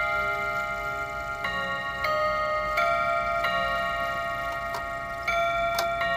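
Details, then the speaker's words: Mechanical clock after first service (taken apart about 36 hours earlier): Westminster chime over steady tick, then eleven clean, evenly spaced hour strikes on the gongs; the clock thinks it's 11 o'clock; chime and strike working properly. "One, 2, 3, 4, 5, 6, 7, 8, 9, 10, 11. So the clock thinks it's 11 o'clock."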